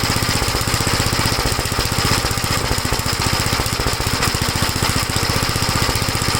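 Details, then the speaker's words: 1956 Gravely L single-cylinder after head gasket replacement and valve inspection, slightly improved: no longer stalls going from high speed to idle but still popping; uneven sharp pops in fast firing beat, cause not yet found. "Well, it's a little better. It doesn't stall out when you bring it from high speed to idle. Still popping, you can hear it, but at least it's not stalling."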